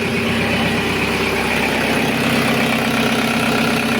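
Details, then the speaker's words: Audi A6 2.0 TDI, around 2005, that previously started then stalled, with black fuel: after tandem pump replacement and finding a broken EGR valve flap, steady diesel idle with even clatter, no hunting or stumbling; engine runs and holds idle. "Автомобіль запрацював. Отлично. Результат є."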